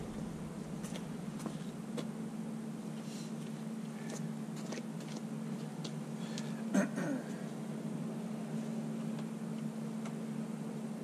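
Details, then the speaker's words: 1968 Detroit (GM) 3-53T turbo diesel, first cold start after total overhaul, engine 4.5°C/40°F, outside -3°C; quiet steady low hum with light clicks, no misses or knocks, stone cold, good oil pressure; normal cold idle. "she runs pretty good guys no leaks and uh pretty well that's all i'm gonna run it it it's still stone cold but uh got really good oil pressure"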